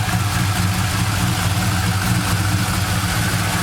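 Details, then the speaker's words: Engine with new TPS and new spark plug, warmed up after a cold-start rattle that goes away with heat in the pistons: smooth, even low idle with a steady beat and no tapping or rattle; normal healthy idle. "certainly sounds nicer now too"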